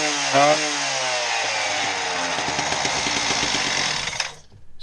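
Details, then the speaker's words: Husqvarna K770 power cutter after no-start repair and carburetor/air box reassembly; strong, steady two-stroke buzz with a high crackling edge holding an even pitch until cutoff. Runs cleanly. "the machine runs we're gonna put it back together now"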